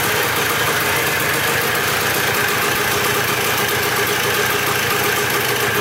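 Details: Dirt bike bought in a four-bike lot, first start after checking the petcock and carburetor and refitting the spark plug: a crisp, buzzy two-stroke idle, steady with no misses or surging; normal idle.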